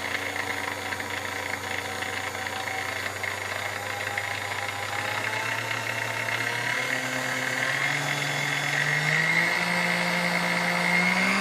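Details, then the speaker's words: Sunbeam Mixmaster Chrome model 12C after general service (corrosion cleaned, cord issue): steady, even motor hum rising in pitch as speed is raised, no grinding or rattle; runs like a brand-new machine. "guys hey you tell us Mel's like a brand-new machine"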